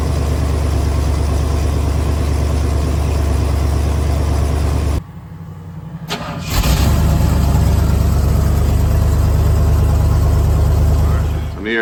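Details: 1974 Ford F250 SuperCab 460 V8, parked 14 years, started on an inline electric fuel pump: brief crank, then catches and settles into a steady, deep, even idle with no misses or knocks; healthy start.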